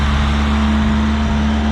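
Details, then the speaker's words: 1984 Chevrolet Chevette 1.6 L four-cylinder with new battery, front-end collision damage: steady, even low idle hum, constant tone, no misses, knocks or ticks. Normal healthy idle. "Good runner though, fires right up. Runs very, very well."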